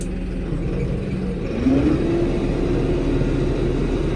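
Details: Diesel tractor in limp mode holds a flat, steady drone capped near 1500 rpm instead of 2500. Strainer, water separator and tank-bottom samples showed water and slime in the diesel.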